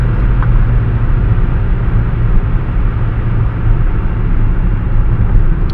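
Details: Manual gearbox bearing failure in a VW MQ200 (02T) transmission, driven about 50-60 thousand km with the damage: constant deep rumble and drone while rolling, heavy and steady under way.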